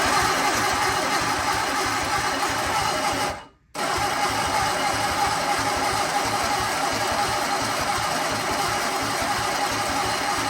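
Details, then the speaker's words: Sunbeam Alpine 1725 at TDC compression with new plugs and wires, on starting fluid: steady cranking with a brief pause and no firing at all. Spark is present but not at the plugs, and the starter relay sticks. Cranks, no start. "But still not having much luck. Alright, so still not having any spark. We're having spark here, but we're not having spark at the plugs."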